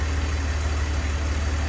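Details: 2002 BMW 330Ci idle: even steady low idle, no ticking; earlier problem gone, cause unknown; running smooth and healthy.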